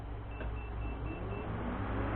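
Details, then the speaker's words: Ford Mustang V6 radiator cooling fan on stock wiring, pin 13 jumpered to 12 volts during a Barra engine swap: low steady whir building evenly over a couple of seconds without rattle or scrape, fan running normally. "you can hear it run pretty pretty good fan"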